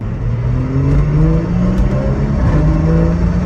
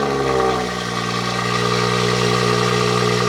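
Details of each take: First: Abandoned BMW 340i at 80,001 miles, first drive after its transmission fault was fixed, low tire pressure limiting acceleration: deep exhaust note rising smoothly through the revs, easing off with light pops, no slipping or clunks; normal acceleration. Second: Abandoned BMW 340i at 80,001 miles with the downpipe and exhaust sections cut out and welded: raspy, very loud engine note with a strong steady drone as it revs; loud exhaust from removed sections.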